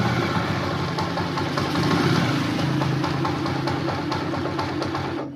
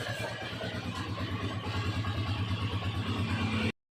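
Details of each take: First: Honda TMX motorcycle, started on choke after hard starting: uneven, lumpy idle with loose rattly ticking and clunking that sags and then cuts out; noisy engine that won't hold idle. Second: TMX 155 single-cylinder after a full engine overhaul, started cold: runs with an even, steady thump, no knocks or rattles; rebuilt engine sounds healthy.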